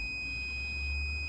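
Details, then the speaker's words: Unit with 24 V control and a three-pole contactor: a steady unbroken continuity beep from the compressor common to ground reads zero, and the 500-megohm insulation test also reads zero. The compressor is dead-shorted to ground and finished. "zero it's grounded that that is a dead short to ground yeah let's put it on continuity there you go you hear it"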